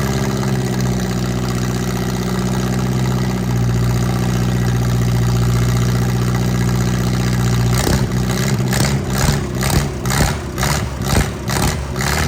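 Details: MerCruiser 3.0 marine engine with a cracked block, first run after unknown history: steady low idle with short rev blips, firing on all cylinders and responding cleanly. Normal idle.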